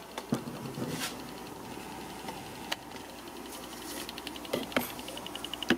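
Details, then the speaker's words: 2.5 A 12 V Bedini pulse charger on a 400+ Ah train battery wired as 12 V at about 12.9 V, peaks near 15 V: sharp, separate clicks over a quiet hiss are the capacitor discharging, about twice as fast as the older 2 A charger. Normal. "if you can hear a little clicking sound that's the capacitor discharging and it's it's about twice as fast um twice as many discharges in the same period of time compared to the old charger"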